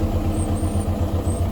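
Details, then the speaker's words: VW Golf Plus 1.9 TDI PD 90 diesel, idle: lumpy uneven pulse about ten times a second, sounds rough; camshaft and buckets to be replaced. "you heard the engine there yeah yeah sounds a little bit rough"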